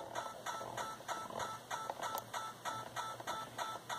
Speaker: is that even when the RF gain is down to the point where I can actually hear that note the radio noise if I turn up the volume and here that it's actually competing with the radio noise